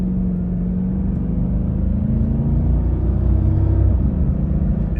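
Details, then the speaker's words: Audi D3 S8 with Lamborghini-derived V10, after valve cover gaskets, coil packs and plugs replaced for misfire and oil leak: pulling through gears under load in mid revs, where it used to struggle; deep even rumble, no stumble or popping, clean acceleration. "And it uh did it just fine."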